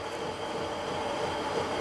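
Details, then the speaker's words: Harrison 140 lathe belt drive with double-size motor pulley, running with case on after belts tightened to about an inch of movement: even, steady whirr with faint high whine, no slapping or flutter; reasonably quiet. "so i'll put the case on and we'll see what it's like um running well that sounds reasonably quiet let's see how we get on"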